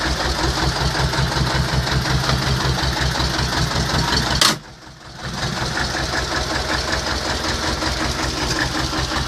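Even diesel clatter at idle, steady beat around 160 a minute with no misses or odd knocks; this engine is running healthy.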